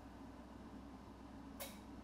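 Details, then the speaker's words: Salvage Ferrari 458 Italia with non-working AC, during an active test with ignition on. One sharp click under a quiet hum as the compressor clutch magnetically pulls in, so the clutch circuit works; the fix was a body module proxy alignment. "so when I hit this we'll either hear the compressor clutch magnetically connect or not or not"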